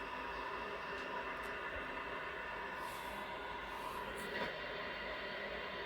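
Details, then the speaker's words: Worcester Bosch boiler with a C7 fault (no heating, no hot water), checks done, powered up with a central heating demand: quiet, steady fan whoosh with a few faint clicks and no rattle or scraping, running the start sequence before firing up. "Right, I can hear the fan running now. It's going through the process."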